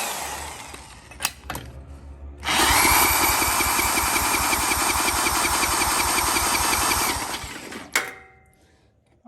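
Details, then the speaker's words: 34-ton log splitter's small engine, supposedly blown up and with what looks like oil on the spark plug, cranked with a compression tester in the plug hole: steady starter cranking with an even chuff about three times a second; modest but acceptable compression. "PSI let's not the worst I've ever seen all right so now that we've verified we have a little compression"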